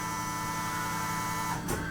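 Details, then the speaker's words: Porsche Cayenne fuel pump run by scan-tool activation with the engine off: a steady, even electric hum with no surging or grinding; the fuel pump is running normally. "For example, maybe we'll test the um fuel pump. Might have to listen closely for this one."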